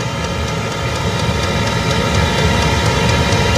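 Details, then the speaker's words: Chinese diesel heater on a 12 V battery in a greenhouse, getting up to full speed and not yet warm: a steady fan roar with a faint whine and even fuel-pump ticks about four times a second. Normal running at full output. "so as you can probably hear now it's it's really getting up to full speed not got any warmth on it as yet but um we're getting there"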